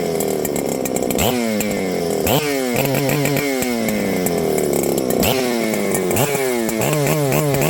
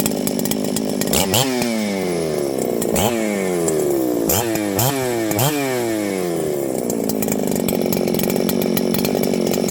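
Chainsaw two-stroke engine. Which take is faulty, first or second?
first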